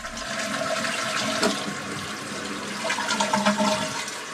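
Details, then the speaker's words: After replacing a squeaky Fluidmaster fill valve with a Korky fill valve: strong rushing flush settling into smooth refill, no whistle, squeal or squeak; fill valve working properly. "flush with no squeaks"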